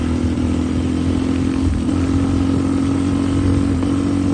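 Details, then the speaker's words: Yamaha Raptor 660 ATV, fresh engine, started by jumping the solenoid since the key switch is bad: steady even single-cylinder idle with low thump and constant drone, no knocks or misses; normal idle, needs a little tuning. "But damn, I ain't complaining. Starts right up, sounds good. Needs a little bit of tuning."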